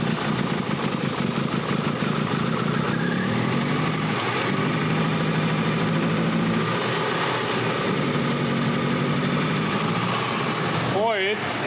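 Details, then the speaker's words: Case IH engine given throttle: loud, uneven note that stumbles and wavers instead of picking up; rough running engine that won't rev, cause not confirmed. "tu essaies de lui donner un coup d'accélérateur et il ne tirera pas, donne-lui un peu d' accélérateur,"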